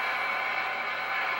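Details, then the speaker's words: Admiral 30A12 TV restoration, fed from a converter box with volume cranked all the way: a steady, even hiss of background noise over the audio; tuner and tubes already swapped without help, owner now suspects the signal source. "I crank it up all the way except it sounds lousy there's noise in the background"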